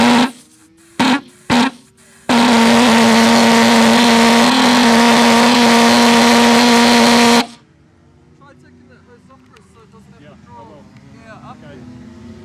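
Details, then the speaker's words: Hobby King pulsejet on an XUAV Mini Talon RC plane, warm-up run: harsh buzzing drone at a fairly steady low pitch for about five seconds, then dies; fuel starvation, can't lift fuel 80mm from tank to flowjector. "Might give it a try then, because it did sort of run, but I think it'll stop as soon as I pull any G's."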